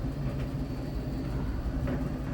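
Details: Siemens IQ700 tumble dryer gives a low rumble with a dull knock about every 1.5 s, following the drum's turn with a heavy wet load. The knock fades as the laundry dries, and the drum stops when turned by hand. No foreign objects; rollers suspected.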